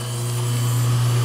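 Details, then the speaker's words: Bryant heat pump outdoor unit: outdoor fan motor spins with an even, steady hum, no scraping or rattle, when its black wire is fed L1 directly. Fan works; control board isn't feeding L1 to ODF BLK terminal. "all the steam coming out that's what's supposed to happen no it's shaking whoo so that verifies that the fan works correct"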